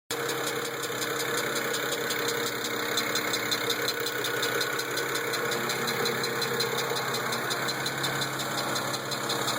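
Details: BMW N54 idling with a light fast ticking; following a boost solenoid/pressure converter issue, both pressure converters were replaced and the ticking went away.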